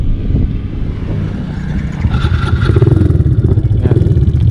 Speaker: Ito naman yung tunog nung 6.8 na regrind cams.